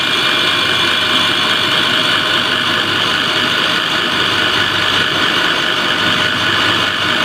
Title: KES-55 screw air end abnormal sound observation